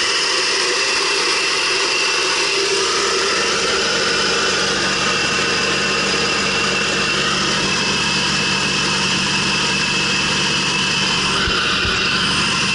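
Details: 2006 Subaru B9 Tribeca at idle: constant high hiss riding over a steady idle, unchanging; owner suspects a vacuum leak, unconfirmed.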